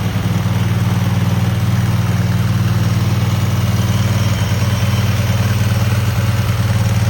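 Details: Cub Cadet garden tractor twin just after new spark plugs, carburetor not cleaned, frozen choke, and an unlocated gas leak: a deep, even idle with a smooth steady beat and no knocks, ticks or misses. Normal running.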